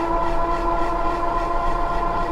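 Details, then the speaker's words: Magicycle Cruiser e-bike with a 52V 15AH battery at 6% charge, climbing a long gradual hill on throttle only at about 880 W: a steady squeal with faint scraping from disc brakes rubbing, which need adjusting and may be cutting range. "these brakes are so loud though i need to adjust them can you hear them rubbing"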